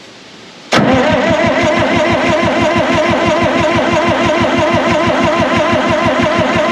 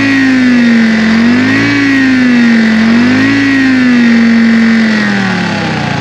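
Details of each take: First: 1960 John Deere 440 backhoe, supercharged two-stroke Detroit 2-53 diesel, sat for years and was seized; new fuel-water separator filled with ATF to bleed fuel. Starter spins about three compression beats a second, never fires: cranking, no start, water in fuel. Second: 1960 John Deere 440 backhoe with supercharged 2-53 Detroit two-stroke diesel, seized after years sitting, now running: loud steady drone, strong blower whine rising and falling with throttle; good oil pressure, normal running.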